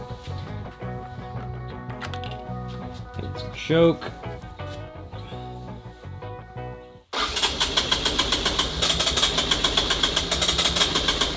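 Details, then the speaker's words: 1984 ATC Big Red three-wheeler failing to start: sharp uneven pops about four a second while cranking, never catches; misfire/detonation from spark plug with closed-up gap. "we have no gap in the spark plug so I'm sure you guys heard that loud popping noise"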